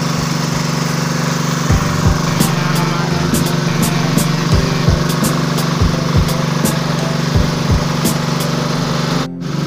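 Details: Generator that would not start or run, whose oil was very thick, black and nearly empty, running after an oil change and cleaning: a steady, even drone with no stumbling or knocking. Normal running.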